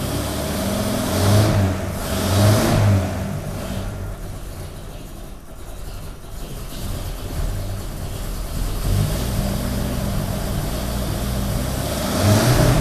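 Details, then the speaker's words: 1932 Nash 990 Series straight-eight after tune-up with new points, not yet warmed up: even idle with quick clean blips settling straight back, no misses; idles much better than before. "well that's a lot better does it actually idle better well it needs to get warmed up yeah yeah i can tell big difference i could it sounds great"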